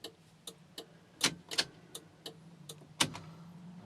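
Crisp dry clicks a little faster than one per second, fairly even, over a quiet cabin: the flasher relay is ticking normally.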